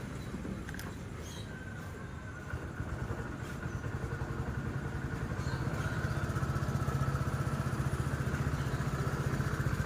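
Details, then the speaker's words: TVS XL100 BS6 single-cylinder moped, which started but lacked pickup, now after ECM replacement and a new set fitted; engine starts and settles into a steady, even putter with no knocks or misses, running healthy with better power. "இந்த side shield, battery door, டேங்க்கு எல்லா ஃபிட்டிங்கும் மாட்டிட்டு வண்டியை இப்போ start பண்ணுறோம்."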